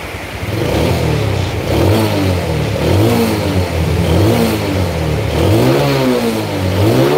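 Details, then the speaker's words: Yamaha Jupiter Z after total engine restoration following a truck crash, new original bearings, battery not yet fitted: repeated smooth blips about once a second with clean even note; revs freely, sounds healthy. "Di atas pakai galvalum soalnya ini suara mesinnya Bos kayak baru keluar dari dealer ini suaranya Bos adem Bos"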